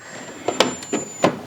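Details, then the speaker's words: Epson L380 printer stored six months and full of dust, at power-on: a few sharp ticks, then it shuts off; the carriage mechanism is fully jammed. "अरे ये तो T करके बंद हो जा रहा है ना क्या आवाज आ रही है टी करके आवाज करके बंद कर जा रहा है"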